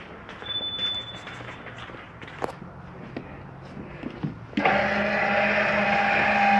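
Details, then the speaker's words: 2018 Forest River Ultra V 2618 RV electric stabilizer jacks lowering: a few clicks, then steady even motor drone with no grinding; one leg may drop before the other, normal operation. "sometimes one legs are going down before the other give a second they'll push up to each other"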